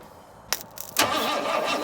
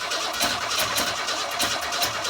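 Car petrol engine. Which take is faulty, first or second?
second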